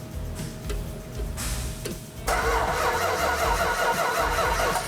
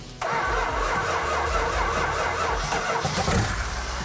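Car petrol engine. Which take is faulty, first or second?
first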